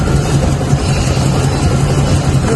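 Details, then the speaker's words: Toyota 1RZ petrol engine idling unevenly with a lumpy, stumbling low beat: cylinder 4 misfiring despite spark and new plugs, caused by a cracked cylinder 4 valve letting air through. "सिर्फ चार number पर यल आया हुआ है और वह हम आपको चेक करवाएंगे यल किस वजह से आया जिस वजह से यल आया उसकी वजह से ही मिसिंग आ रही है"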